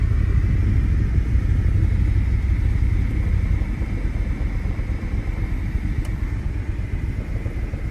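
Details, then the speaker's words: 2008 BMW M6 V10, 6-speed manual, barn find sitting for years. Heavy low rumble with an uneven, stumbling pulse of about three beats a second under the exhaust note; misfire on one cylinder, with a suspected throwout bearing issue. "I can tell something's up with the throw bearing, but that's not too bad, but it does have a miss on one of the cylinders."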